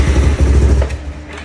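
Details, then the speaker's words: Early-1990s Kawasaki Bayou 300 after sitting, new carburetor fitted: quick single-cylinder thumping slows and fades within about a second; engine dies at idle because the minimum throttle idle knob is set too low. "So, it controls your idle speed. And right now, whenever I start it up,"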